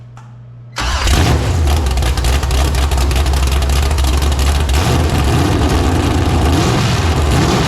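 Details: Freshly built 454 big-block Chevy (El Camino), hydraulic roller cam, on its first fire-up: a short crank, then it catches with a loud bark and settles into a deep, slightly uneven lumpy idle. The carb needs tuning out of the box.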